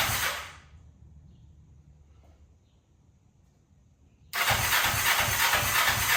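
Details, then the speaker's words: 2003 Kawasaki Ninja 500R twin swapped into mini bike frame, just retimed, dual carbs, chokes on, first start: fires abruptly and runs with a fast even beat; revs sound good but idle sits low and needs turning up. "I got it to fire up and it is running pretty decent, honestly. It revs. It idles. No. Well, kind of. I need to turn up the idle still, but if it revs, it sounds pretty good."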